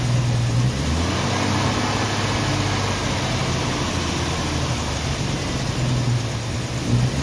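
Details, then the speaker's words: 1990 Jeep Wrangler carbureted engine idling in neutral, still being tuned; uneven, lumpy idle that stumbles and drops out irregularly, shaking hard and then stalling; owner thinks it is missing, cause not confirmed. "sounds like he's missing shaking like the dickens and quit me so"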